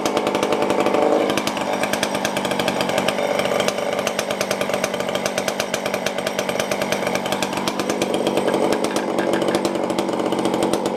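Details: Tanaka ECS-650 chainsaw after fixing a vacuum leak from a loosened part that caused stalling: fast, even two-stroke buzz holds steady for ten seconds without faltering, slightly high idle; runs properly.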